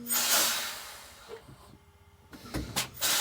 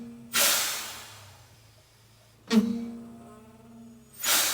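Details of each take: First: Detroit Diesel 6V92 truck with brake problems after air lines swapped, park brake off, pedal pumped; sharp bursts of air hiss with quiet gaps as brake chambers apply and release. Normal air brake actuation. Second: Detroit Diesel 6V92 truck after air line swap, park brake off, brakes applied; three sharp hissing bursts each fading slowly, owner suspects a blown seal on the park brake valve. Air leak past valve seal.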